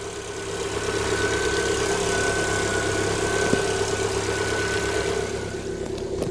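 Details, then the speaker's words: 2018 Lada Vesta 1.6, 84,000 km, about 5–7 minutes after a −32°C cold start: steady, even idle hum with a faint high whine and no top-end ticking. The hydraulic lifters have pumped up and it runs normally. "о все ровненько все перестало стучать но сколько прошло времени друзья пять минут семь минут как прокачались на таком морозе"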